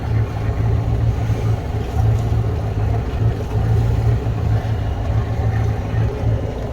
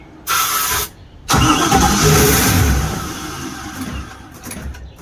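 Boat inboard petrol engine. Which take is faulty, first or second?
second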